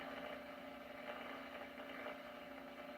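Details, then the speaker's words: RCA 811K console radio first power-up at 81 volts: faint steady buzz from the speaker with no station audio; high voltage present but the set is not yet receiving. "okay so I have high voltage because I'm hearing buzzing from the speaker and I'm in 81 volts that's interesting"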